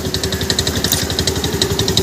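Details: Honda Activa 4G scooter, self-start: quick even pulsing about ten a second with hard metallic rattle; bent crankshaft end chattering against the starter drive.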